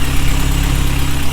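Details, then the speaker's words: Honda Civic EG (H2B build) after swapping in OBD2 injectors for a misfiring cylinder: steady, even idle with smooth low hum, no stumble or miss; normal idle, sounds much better. "So, we swapped it in and it sounds a whole lot better. I normally sounds great."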